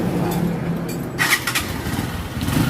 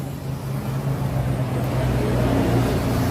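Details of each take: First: Honda TMX125 that misfired and bogged, fixed by removing a plastic seat cover that choked its air intake: quick catch, then a steady single-cylinder beat with no stumbling: normal start and idle. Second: Honda TMX125 single-cylinder with a bubbling carburetor before carb cleaning: runs uneven and bubbly, skipping about four beats a second as revs rise. Misfire from restricted air intake.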